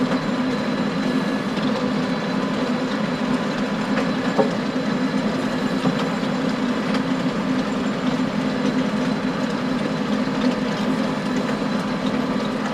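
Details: Stones banging against the power harrow tines behind a John Deere 6920 tractor in very wet conditions, steady rattling clatter with uneven sharp clacks over a droning engine; stones previously broke a tine.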